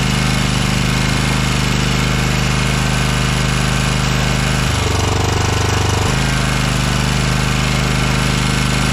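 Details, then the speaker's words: 2012 Toro Timecutter SS 5000 twin after rocker repair, valves set to about 0.006 in and valve cover resealed: strong, even low thumping with no misses, smoke from the long-idle cylinder; now running on both cylinders. "and you can see a lot of smoke coming off the engine that's because one side has not run in a while we got two cylinders guys"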